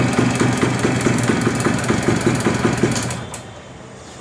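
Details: Suzuki Max 100, 98.2cc air-cooled single-cylinder two-stroke, carburettor: rapid, fairly even popping at fast idle, about two or three beats a second, then shuts off; runs cleanly.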